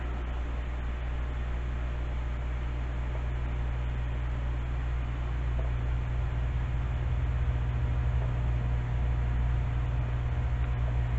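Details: Heathkit SB-1000 amplifier, variac cranked up with tube installed and low-amp variac fuse: loud steady low hum swelling as voltage rises; transformer hum under load, then variac fuse blew.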